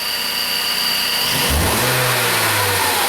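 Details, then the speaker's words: 2013 Ford Focus after repairing no-acceleration fault (codes P2127/P060D): smooth idle then clean quick rise in pitch as throttle pressed, no hesitation; no more misfire, normal revving. "no more misfire it sounds good yeah all right say you want to step on the gas"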